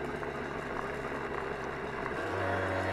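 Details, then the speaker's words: 1975 Honda MR50 Elsinore 50cc two-stroke after new piston rings and crankshaft seals, on-road ride cruising in third gear: steady buzzing note that picks up slightly with throttle, running clean and healthy; later reached 38 mph. "running good cruising man this thing's a cruiser"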